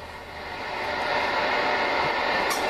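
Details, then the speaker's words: Kenwood TS-940 transceiver tuned to 1.400 MHz with a signal generator: a steady, toneless hiss swells slightly and holds. This receiver noise comes from misaligned IF filters; both filters are adjusted for minimum AF output. "so basically the setting for that is to set both of these filters so that that noise is at a minimum"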